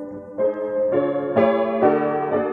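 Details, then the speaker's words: 1924 Bord 160cm decorative grand piano before restoration: chords step upward but sound sour and wavering, many pins slipped out of tune though underlying tone is good; tuning pins too loose to hold pitch, so the wrest plank likely needs replacing. "but obviously it definitely needs it's got a problem with the with the tuning pins being too loose"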